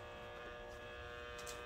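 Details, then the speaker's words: Optoma GT1080 Darbee DLP projector with a lamp error, right after power-on: steady buzzing whine with a rough, raspy edge and felt vibration; heat-damaged colour wheel that lost its index mark, running rough. "see we have some light get ready oof that sounds bad yeah hear the color wheel that's bad so i think we found oh i can feel that vibration"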